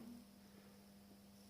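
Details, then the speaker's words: Welling 230 V AC induction pump motor from a Galanz dishwasher fed only 50 V from a variac: a steady, low electrical hum with no rotation; it only starts at about 80 V with a push. Stalled induction motor hum from undervoltage. "Let's see if we can give it some assistance. You can hear that high voltage AC hum."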